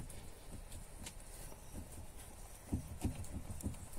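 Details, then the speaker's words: VAZ 2114 steering rack: dull, irregular low clunks as the steering is worked; tightening the rack adjuster did not help and bound the wheel, so it was backed off; the rack needs rebuilding. "Подтяжка рейки ничего не дала. Зажимает руль. Пришлось чуть-чуть отпустить. Как стучит, так и стучало."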